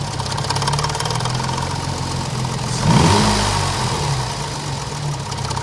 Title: BoB Cosworth engine knocking